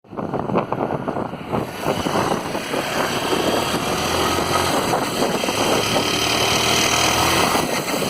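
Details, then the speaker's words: Honda Titan 160 motorcycle revving steadily after a service: rough, rattly knock under the exhaust note. Crankshaft bearing noise, fixed only after the crankshaft, bearings and engine case covers were replaced. "me entregaram um barulho no motor andou quando fui ao trabalho notei que o barulho não tinha parado"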